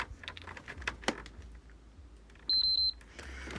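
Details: PS5 console at power-on: three quick high beeps, then it won't turn on; typical corrupted BIOS problem, repaired.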